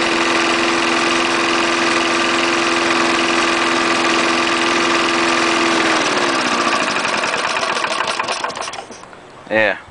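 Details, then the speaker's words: Trash-picked 1974 Snapper mower with 3.5 hp Briggs single-cylinder, fresh gas: steady, even buzz, then smooth wind-down at shutdown, no misfire; normal running. "3.5 horsepower Briggs still runs good even though it's got the chute for the site discharge"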